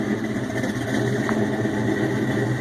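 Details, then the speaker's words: Ford Mustang GT 4.6 V8, Trick Flow stage 2 cams, untuned and cold, supercharger not hooked up, BBK long tubes, X-pipe, 2.5 in exhaust, Flowmasters, heard from the rear: deep rumbling, uneven loping idle with slight surging. "Yeah, you can see it's, not tuned, so it's surging a little bit, but it's got some lope to her."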